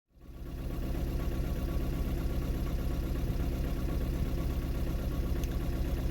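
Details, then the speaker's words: 2009 VW Golf 1.6 TDI (CAYB, 90 hp) with codes P0203 and P0606: lumpy uneven diesel idle limping about twice a second, running on three cylinders; owner believes injector 3 has failed. "so as you can hear the engine is running on three cylinders and the reason that is is I believe my injector number three is gone"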